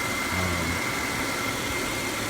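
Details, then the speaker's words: 2006 Chevy Impala after sitting two years and an engine detail: smooth, even idle with a steady low hum, no knocks, misses or smoke; engine healthy, one EVAP solenoid code noted. "And there is no smoke coming out. I swear to God, this car sounds like it's running it, too."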